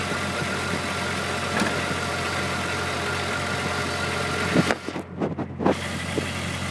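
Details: VW Mk3 VR6 petrol engine idling with a busy, uneven rattly texture and a brief change in sound near the end; rattle of unknown cause.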